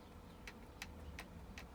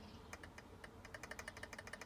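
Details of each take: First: Arrma RC car (Kraton/Talion/Outcast/Typhon) front differential, stock without shims: four sharp evenly spaced ticks from side-to-side wobble; needs shimming. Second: Arrma RC car (Kraton/Talion/Outcast/Typhon type) center differential after setting mesh: fast light ticking of gear teeth rocking with a hair of free play, correct gear mesh backlash.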